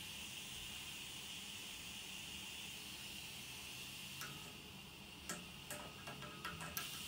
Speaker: You can hear the air coming up there until this radiator gets water coming out again. That means all the air is expelled from the radiator.